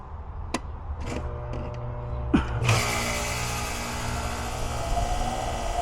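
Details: New residential AC condenser replacing aging unit, first start after reconnecting forgotten low-voltage wire at the furnace board: a few clicks, then a steady even hum with fan whoosh and no rattles; starts normally.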